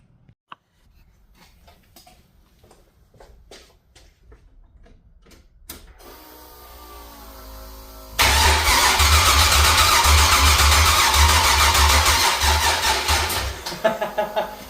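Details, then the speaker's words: Freshly LS-swapped wagon with 6.0 LS V8, first start attempt: a few loose clicks, then a steady fast starter whir for about six seconds that never fires. Cranks but won't start; battery put on the charger. "bummer well that didn't work we'll put it on the charger"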